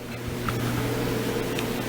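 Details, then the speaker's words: Electric clothes dryer after removing a loose screw, likely from a pocket, that caused noise and bouncing: even, steady low hum with no scraping, thumping or rattle from the drum; now runs smoothly. "What do you know? That thing sounds pretty smooth. Not bad at all."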